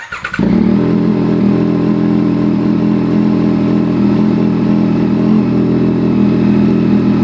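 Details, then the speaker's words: Yamaha CP3 triple (R9/MT-09/XSR900) right after fitting a Kelpi Slipstream full exhaust, checked for leaks before reassembly; starts to a strong even idle, no ticking or slapping from header flanges, so no leaks. "So absolutely no leaks there. You would hear a bit of a slapping noise if you did have a leak on one of your header flange plates."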